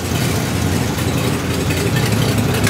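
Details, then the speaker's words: 1951 or 1952 Ford F1 flathead pickup, unrun from 2007 until restarted about a week ago. A deep, soft, even low rumble with a steady beat and no knocks or ticks. Smooth, normal idle. "yeah sounds like a little better 51 ford f1 52 i don't know i might have been lying this whole time 52. i know super cool motor flathead just a pair away"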